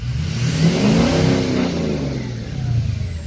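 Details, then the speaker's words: 2006 Ford F350 6.0 diesel driving after repairing P2262 (broken MAP sensor nipple on intake) that caused power loss; pulls hard with rising growl and smooth climbing turbo whistle, no leak hiss or chuff: normal turbo boost. "sounds a lot happier self alright well we'll just drive it for a couple more days and see what happens"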